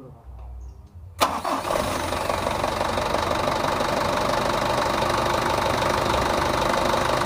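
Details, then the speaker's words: Mitsubishi Canter 110 PS diesel minibus van after a tune-up (injection timing, nozzles, valves), idle raised at the governor: it starts at once and settles into a steady, fairly fast idle; with no A/C idle-up vacuum fitted the idle is high and will be lowered. "kalau ini enggak ada vakum untuk Idul up di AC jadi ini rpm-nya agak besar rpmoris ada di rbm9 Nanti kalau terlalu besar kita kecilkan"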